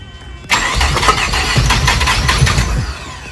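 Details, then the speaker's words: Mazda Savanna RX-7 FC rotary engine, starting on the new exhaust, throttle worked by hand at the engine: steady fast cranking churn with no catch, never firing; fuel not reaching the engine yet, crank no-start. "no gas coming yet..."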